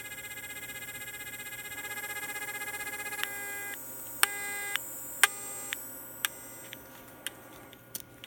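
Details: 49-year-old F-set telephone test set after a low-volume repair with its battery near 9 V, connected to a phone line: a steady, even tone with a few clicks and short beeps over it. Normal dial tone.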